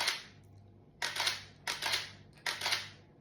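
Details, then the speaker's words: Canon EOS 1N 35mm camera after repair of its BC error, blamed on the mirror activation magnets. Three crisp, clean shutter clacks about a second apart, each firing fully with a short mechanical tail: normal shutter operation. "Sounds good, doesn't it? It does. See, it hasn't worked for ages. And it's nice to hear the uh shutter kicking off when it uh focuses in there."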